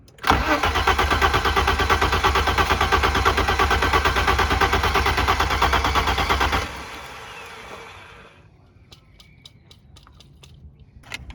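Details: 1991 BMW E30 with a 2.7L M20 stroker, Megasquirt ECU and individual throttle bodies, after sitting 3-5 years: steady starter cranking for six seconds without firing; fuel pump not heard, fuel delivery suspected.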